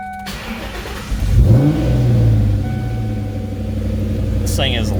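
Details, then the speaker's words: 1997 Mustang Cobra after MAF cleaning, new plugs and air filter: catches and flares to high rev without throttle on every startup, then settles to a loud, lumpy idle; cause unknown. "on startup I don't even touch the gas and it just wraps up like that every time I started"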